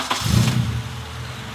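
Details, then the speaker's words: Abandoned Honda Civic restored with K24 engine swap, 3-inch flex pipe and 3-to-4-inch exhaust exit: quick crank, catches at once and settles into a steady smooth idle with no misses or knocks; normal start, healthy motor. "heck yeah and that sounds really good I will show you guys that a little later in the video super healthy motor"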